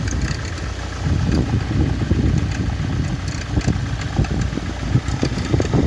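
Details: Ford Focus 2003 1.8 TDCi (FFDA) diesel idling with a weird, uneven, irregular knocking and rattle in its low rumble; cause unknown.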